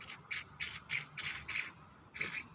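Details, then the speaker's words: Mitsubishi Triton/Pajero 4D56 turbo spun by hand: the damaged cartridge gives a dry, scratchy rasp, while the good one spins silently. The worn cartridge bearings are fixed by replacing the cartridge. "Kalau yang ini yang rusak ini dia ketika diputar dia bersuara"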